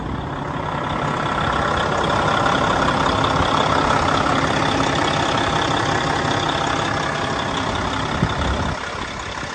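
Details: 2016 Freightliner Cascadia Evolution, DD15 diesel, heard outside at the engine; steady even idle, smooth low chug with a faint whistle above, no knocks or misses; healthy.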